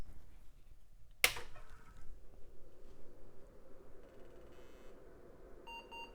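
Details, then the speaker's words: Early-1990s Pionex 486 computer, 4 MB RAM, after teardown and reassembly: switch click, low fan whir, then a short beep; good POST, though no floppy seek heard. "all right good post didn't get a floppy seek though"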